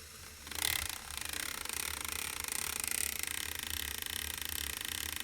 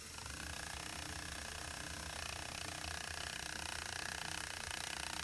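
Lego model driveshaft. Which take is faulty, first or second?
first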